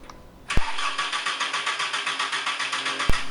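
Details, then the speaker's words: VW Mk4 Golf cranked after 9 months parked, with a new battery and fresh gas: the starter spins steadily but the engine never catches; the fuel pump was found toasted and leaking fuel. "so it's one of these fuel pumps bet all right we got the old pump right here as you can see it was toasted"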